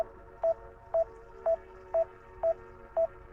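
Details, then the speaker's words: DJI Mini 5 Pro remote controller giving a steady short mid-pitched beep about twice a second at 0 degrees during a waypoint flight, while the drone would not land and had 40% battery left; it kept beeping, cause unknown. "Okay. I don't know why it's still beeping. Okay. There we go. We stopped it from beeping."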